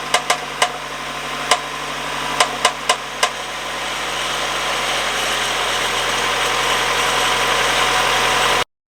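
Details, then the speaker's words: 1991 Toyota Celica GTS that had caught fire, started without the alternator: sharp irregular clicks at startup, then steady slowly building whirr; abnormal noise, wife suggests a dry water pump, unconfirmed. "I was [ __ ] furious because the noise is still there but uh my wife asked well what if it's just the water pump has no coolant in it"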